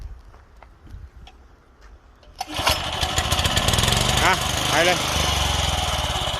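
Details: Used Japanese walk-behind greens reel mower, 24-inch cut, with a Mitsubishi 4 hp single-cylinder engine. It starts easily and settles into a steady, even beat with the reel engaged and turning, running healthy.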